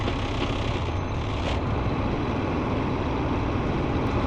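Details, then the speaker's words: Tractor-trailer diesel running in neutral with the parking brake set during a CDL pre-trip air leak test, building air pressure from 120 to 140 psi toward governor cut-out; steady, even rumble with no knocks or misses; engine running normally. "And so now I'm going to build the pressure from 120 to 140 psi until I hear that sound from my trailer."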